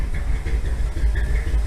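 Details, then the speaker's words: 1957 Chevy V8 with lumpy cam, long stored, after suspected stuck carburetor float freed itself: deep, steady, even throbbing idle on its own; 35 psi oil pressure even at low rpm. "Oh, it's actually idling now. Maybe the float came unstuck."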